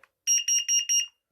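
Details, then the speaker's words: FireAngel CO9B carbon monoxide alarm, test button pressed: four sharp high-pitched beeps in quick even succession; CO alarm sounder working. "you can hear all of them going off we got a fire angel co9b so let's test it"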